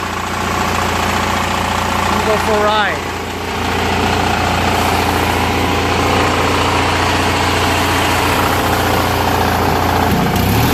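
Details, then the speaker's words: Murray 16HP 46" riding mower, Briggs & Stratton opposed-twin, after carburetor and fuel pump rebuild, new gaskets and jets, cleaned tank and fuel lines, following two years sitting unused outside: even, steady mid-pitched putter at idle with constant beat, no surging or stumbling; running great. "is awesome put this all back and go for a ride running great"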